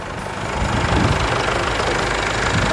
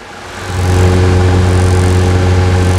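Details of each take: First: Chevrolet S10 MWM Pitbull diesel after turbo replacement and full service: steady diesel clatter at idle, rising slightly then holding even with no odd knocks; healthy engine. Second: Chevrolet S10 Pitbull with MWM diesel held at raised speed: a faint high whine over a steady rumble, heard before a full overhaul that includes a turbo replacement. Cause suspected, not confirmed.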